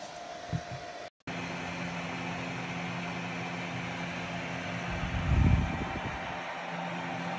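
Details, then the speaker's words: Ontel Handy Heater Turbo 800 wall-outlet ceramic space heater, a few days old, set to 90, running plugged into a basement wall socket: a steady low fan hum with an airy rush. The fan is far from the quiet advertised on the box. "so this heater is not quiet if you can hear this heater it's far from quiet as advertised on the box"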